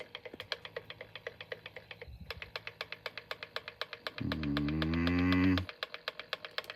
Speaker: no matter which way I turn it it's going to keep making that noise huh this driving me freaking crazy